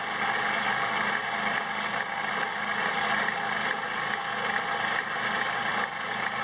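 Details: Homemade bandsaw built from a scrapped portable lumber-mill saw, thick-walled bearing, running on a small battery: smooth, even, fairly high-pitched whir with no knocking or rubbing; normal running.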